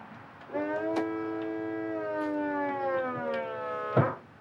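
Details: 2016 McLaren 650S, crashed and rebuilt, retractable hardtop tested after repair: steady motor whine about three seconds, slight pitch sag under load, then firm thunk as roof locks; normal roof cycle.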